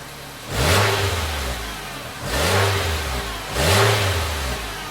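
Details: 2016 Nissan Versa Note with new exhaust fitted after the muffler rusted off at the mid-pipe flange gives three clean rev blips from a smooth idle, with a deep even note and no hiss or rattle; exhaust is normal after repair.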